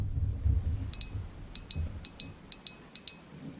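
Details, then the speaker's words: Fuel injector bench-tested off the engine with a 9V battery held near the camera: crisp paired clicks, five in about two seconds, as it opens and shuts. The injector is working normally. "hear it click I hope the camera can but it's clicking so it's working"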